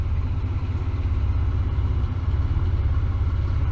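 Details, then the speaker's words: Cold 1999 Ford Explorer 4.0L SOHC running very rough at idle before warm-up; deep, uneven rumble that stumbles and surges; high long-term fuel trims on both banks indicate a vacuum leak, later found with a homemade smoke machine. "as you can see it's it's cold now it's running real bad and I left that banks real high"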